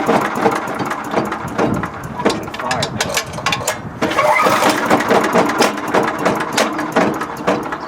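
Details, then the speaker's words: MTD five-horsepower wood chipper engine bought at auction, pull-start after a squirt of fuel: cranking with sharp irregular pops, nearly catches but won't run; suspected sheared flywheel key throwing timing off. "It started that thing. It's going to break something. It's going to fly apart. Something something's a miss."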